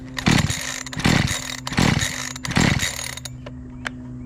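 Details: Makita EA3200S chainsaw stored a year, primer bulb confirmed working, choked: four rough pull bursts about a second apart, each firing briefly then fading; it won't keep running because the hardened carburetor fuel pump diaphragm starves it.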